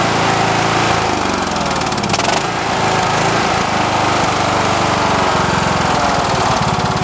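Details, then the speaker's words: Cub Cadet LTX 1045 after repairs (brakes, two pulleys, a spindle assembly, deck drive belt), deck raised: small single runs at a steady, even speed with a quick regular putter, no misses or knocks. Running great. "There we go. Running great."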